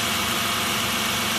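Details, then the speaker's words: Mitsubishi Nativa (Pajero) V6 idling after repair: engine would crank but not start for almost 2 years due to out-of-time timing, fixed by resetting timing belt; steady, even idle, smooth hiss over soft low hum, no misses or knocks. "What is the process? Due to out of timing. If I did not recheck the timing, I couldn't start the engine."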